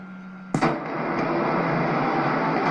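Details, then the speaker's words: AM-band receiver with pre-selector picking up carriers radiated by a cheap switching ham radio power supply, NR-1 noise blanker switched off: steady low hum with faint higher tone under hiss; switching power supply interference. "Here was the original station that we were listening, and let's switch the noise blanker off. You can hear the carrier again."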